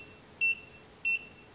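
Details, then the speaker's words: Godox SK400 II studio flash with low power, before repair: three short high beeps about 0.6 seconds apart, signalling Error E3; repairer suspects a failed earlier service elsewhere, not confirmed. "tiga gitu teman-teman SNI permasalahannya Kayaknya gagal servis tempat lain Jadi sampai 3 seperti ini gitu ya"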